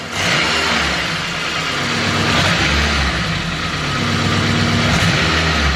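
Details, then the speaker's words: Turbocharged K20 in Civic EK hatch, 11.5:1 compression, old gas, after boost was raised; vacuum dropped from 20 to 18 inches: idle dips and recovers about every second under a steady hiss; stumble, owner suspects a weak cylinder, possibly piston. "it's just got a stumble I want really what I want it I should have left well enough alone"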